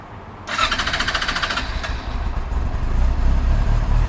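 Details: Yamaha R6 recovered after theft with a damaged ignition, started after flipping its kill switch back on and hearing the fuel pump prime: brief quiet, then it catches and settles into a lumpy, steady low cold idle while warming; healthy start.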